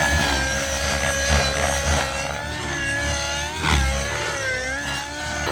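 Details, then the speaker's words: XLPower Nimbus Nitro RC helicopter with an O.S. .55 HZ Hyper engine: steady high-pitched nitro buzz with smooth rotor hum, holding even through the flight with slight load swings; flying normally. "oh yeah it's flying good now yep so I definitely think I'm liking it more with these blades"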